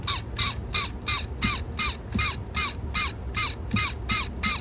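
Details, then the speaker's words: Sony TC-K650ES cassette deck giving loud rhythmic squeaking chirps, nearly three a second, louder when it runs faster. The noise is attributed not to the motor but to a gear on its shaft needing lubrication. "i'd like to show you one little scene you would be interested why sony decks sometimes are screaming a lot like that"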